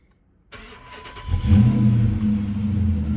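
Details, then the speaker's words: Dodge Charger Daytona R/T with an overheating problem, on its first start after repair, with coolant fully refilled and air bled from the system: it catches after a brief crank, then settles into a slightly rough, uneven idle. "little rough little rough and now we just going to double check everything let it warm up make sure it doesn't overheat"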